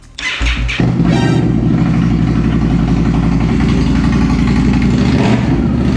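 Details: Indian Scout (about 1200cc V-twin, not the Scout 60) just after installing a Two Brothers Racing Comp S 2-into-1 exhaust, started on a jumper: catches quickly, then settles into a deep, steady, throaty idle with no knocks or misses; sounds a lot better.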